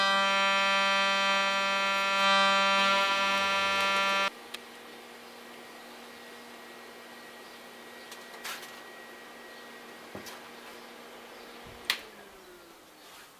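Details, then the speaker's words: Giant TIG inverter welding thin sheet metal tubing at 80 A in pulsed (not double-pulsed) mode: steady, reedy buzz from the arc for about four seconds, then cuts out; normal pulsed-mode TIG buzz. "pronto esse barulhinho é por causa que ele tá aqui no pulsado"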